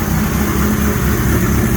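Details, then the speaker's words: 1983 Suzuki GS 1100E custom build inline four: smooth even low idle with steady rumble, no knocks or misses; idling cleanly and quiet. "nice and quiet it's running idling perfect get you guys a good volume"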